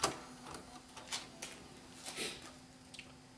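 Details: Bose music system CD changer, repaired after being dropped, optical pickup blown clean with air: quiet irregular clicks and short whirs about once a second while switching discs, no grinding or slipping; changing normally.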